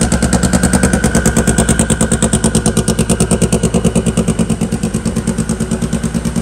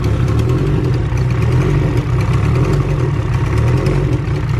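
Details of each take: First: Hot rod engine after fixing the cam sensor and setting cam sync, running on all four: crisp, evenly spaced exhaust pulse about three beats a second, no misses; clean, healthy idle. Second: put your finger right here [Music] feel it yep your egr ports open that clicking sound this new manifold must not have a block for it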